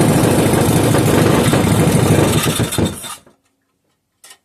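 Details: 5 hp Briggs and Stratton single-cylinder engine, rebuilt from very incomplete, fires steadily and evenly for about three seconds, then dies cleanly when shut off with the kill wire; sounds healthy, only WD40 smoke from the muffler.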